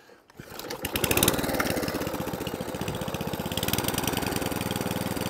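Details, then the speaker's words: 2003 Atco Balmoral 14 SE cylinder lawnmower with electric start and Tecumseh engine, after service and idle adjustment: catches quickly, settles into an even chuffing idle about four beats a second, revs and shuts off normally. "that's better I'll walk a little bit more rev out of that and all be nice Idol's nice does it shut off shuts off so now it stops starts runs cylinder all works as it should do"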